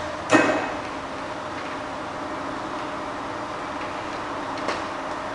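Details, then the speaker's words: Bridgeport belt-drive milling machine, spindle head run in forward and reverse: a click at switch-on, then a smooth, quiet, steady hum with no knocks, whine or rattle. Normal running. "So fire it up. Here how quiet that is, it's lovely and quiet. We both forward and reverse."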